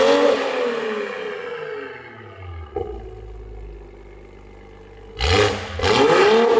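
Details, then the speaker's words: A90 Supra with a newly fitted GTHAUS GTC exhaust, replacing one with a snapped valve flange; the actuator valve was still being set up. Revs swing up to a loud rasp and fall away smoothly, then two sharp blips; clean note, no rattles or leaks. "They're just doing some last minute stuff, last finishing touches, getting the actuator valve situated. But wow, it sounds so nice."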